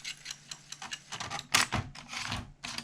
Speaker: I mean we reset it and you'll be able to hear it [Music] and that sounds horrible yeah we're getting nowhere okay